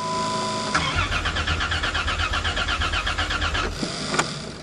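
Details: Caravan cold start in snow after a used part was fitted, possibly low on fuel from a suspected leaking tank; starter cranks evenly about three seconds without catching; crank no start, cause unconfirmed.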